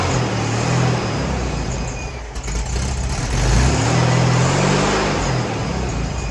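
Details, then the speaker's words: Freshly rebuilt VW Beetle 1641cc dual-port air-cooled flat-four, first start on the floor, new pistons and rings, reconditioned head, rebuilt carb: smooth rev rises, no ticks, taps, knocks or smoke; fuel pump found bad. "okay so the engine runs great no ticks no taps no knocks no smoke didn't blow smoke nothing"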